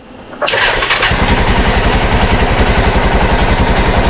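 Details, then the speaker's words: Arctic Cat Prowler 500 side-by-side with carb and fuel issues, new battery fitted: fires on the first crank into a steady even idle with regular beats and no stumbling, cooling fans kicking on; healthy start and idle. "start right up idle's good uh I do hear the fans kicking on"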